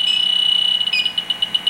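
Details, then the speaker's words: Fieldpiece SRL8 leak detector on an R410 HFC gel reference leak, picking it up about 2 inches away: a steady high tone turns into rapid, evenly spaced beeps of about five a second. Refrigerant leak detector alarm. "the field piece on the chlorine I mean I'm sorry on the flooring the hfc's extremely sensitive I mean literally fcks it up inches away"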